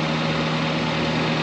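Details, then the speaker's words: 2007 Toyota Avanza E VVT-i, first generation, hydraulic power steering, oil full and clean: steady, even hum and smooth low drone at idle with AC compressor adding load; no knocks or misses, healthy normal idle. "Nah, ini suaranya suara AC dan ini mesin siap pakai. Saya berani jamin mobil ini mau dibawa ke seluruh Indonesia putar-putar ini akan aman"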